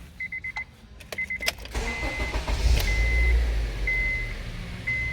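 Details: 2007 Honda CR-V 2.4L petrol (possibly 2012), towed in for loss of power, cutting out and hard starting. After scan-tool DTCs are erased, door chimes, a short crank, then it catches at once and settles to an even idle: a normal start.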